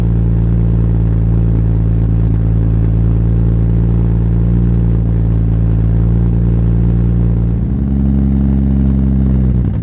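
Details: Supra, first start after three years of building: steady, even low idle with a smooth exhaust note and no miss. There is a minor exhaust leak at the mid-pipe-to-catback joint because the V-band clamp is too big, and a little smoke, probably from mystery oil.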